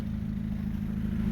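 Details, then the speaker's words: 2005 Hyundai Accent idling after backyard exhaust repair, flange section welded in and gasket reseated; even low tailpipe burble with no puffing or leak; engine ticking noise considered normal. "it's where it's supposed to be so I'm liking it you hear all the tickies noise in the motor should be there"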